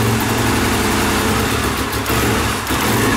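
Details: Pressure washer small single, cold, full then partial choke; low slightly uneven idle near stalling; idle too low when cold, fine once warmed up, idle screw adjustment considered.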